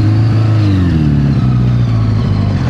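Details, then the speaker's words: 1982 Honda Goldwing GL1100 rebuilt from barn-find parts onto parts-bike frame, just started after stuck clutch freed; low engine drone wanders and dips unevenly instead of holding steady. Rough running, cause not yet known. "It's not running amazing right now, but it's running."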